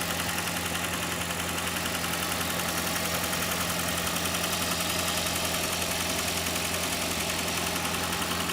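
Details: Engine idling during oil pressure test on a 2012 Toyota Prius 2ZR-FXE: a sharp, metallic knock at about twice a second. Knock cause unknown.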